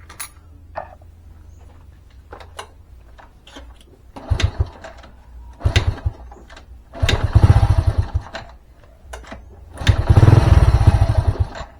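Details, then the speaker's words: Old Honda Supra carbureted motorcycle, after reducing pilot jet with wire shim: repeated start attempts catching briefly in rough bursts then dying, mixture screw fully closed or open no help; pilot jet likely too small. "ternyata malah susah hidup Ya ini campuran bbm-nya sudah saya tutup full dan dites buka full juga tetap hidupnya susah"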